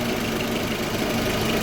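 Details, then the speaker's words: Audi A4 B6 1.8T petrol with ignition coils swapped around (one found faulty) over misfire and jerking under acceleration: started faster than ever, steady even idle with no misfire stumble or skipped beats; normal idle. "It fired up right away, faster than ever."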